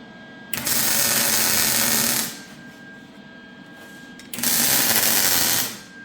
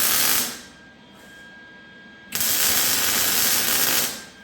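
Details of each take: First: MIG welding a c-notch on a chassis after a sputtering gas problem was sorted: steady, even crackling hiss in two clean bursts, no sputtering or popping; arc smooth and stable. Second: MIG welding tacked c-notch on a chassis: harsh crackling bursts cutting in and out with dead gaps instead of a smooth sizzle; arc sputtering, suspected out of shielding gas, though the gas tank was new.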